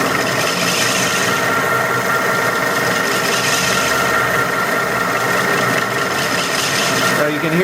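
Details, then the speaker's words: Lathe facing cut on input hub for Wabble cycloidal reducer of etching press drive: continuous scraping rasp growing coarser as chip thickens over leftover turning steps; normal cut. "that noise so that's the the the chip thickening up as it uh encounters each one of those turning steps"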